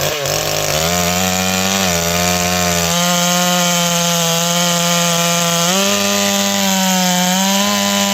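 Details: Stihl 461 chainsaw with ported cylinder and new Caber rings, carb near set, after spark plug hole repair: high screaming two-stroke howl sags slightly into each cut, then snaps back; healthy cutting under load.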